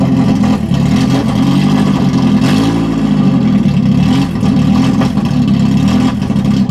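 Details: 1991 BMW 318i E30 that sat for years, open headers, just started: engine turns over, catches, then runs uneven with lumpy wavering note and clatter; unplugging the MAF sensor steadied it, owner suspects bad or dirty MAF.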